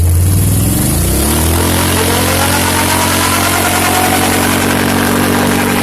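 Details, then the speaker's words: Can-Am with about 100 miles, stock tires, snorkeled: a loud whirring whine rises in pitch with speed over the exhaust. Changing the badly contaminated diff fluid didn't change it; the owner suspects the rear diff, unconfirmed. "I suspect it might be the rear diff I don't know how that's possible but let me know if you guys have heard that before"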